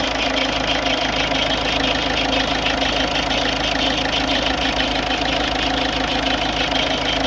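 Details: Ford Fiesta 1.4 TDCi ('52' plate) diesel at idle with even tapping knock about twice a second; cause unknown.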